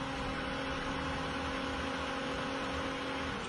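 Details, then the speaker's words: Pentair variable speed pool pump (240 V) running correctly programmed at low speed: steady quiet hum with a soft even whir, no knocks or rattles; barely audible, unlike a loud incorrectly programmed pump. "cuz you want to barely hear it at all"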